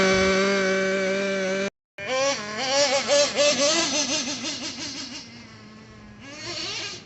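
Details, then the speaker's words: Traxxas nitro RC engine restarted after a hot run, shut off by pinching the fuel line rather than covering exhaust: low, steady, even idle without hunting or bogging, then quick throttle blips; healthy mellow idle. "And always listen for a nice, good, low, deep idle like that. You don't want it to be super erratic or super boggy sounding, but just a nice mellow tone."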